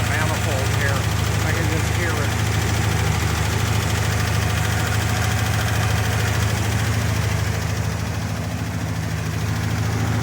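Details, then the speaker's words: Engine after the exhaust was reworked: quick, regular puffing tick of about 200 a minute over the idle, following engine speed; definite exhaust manifold leak up front, repair left for another day. "There's definitely an exhaust manifold leak up front, but I'm going to wait for another day for that."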